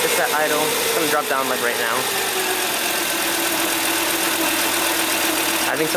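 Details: 2006 Volvo XC90 2.5T AWD, cold start idle before an engine modification: steady mid-pitched whine over even idle; owner suspects the timing belt tensioner, cause not confirmed.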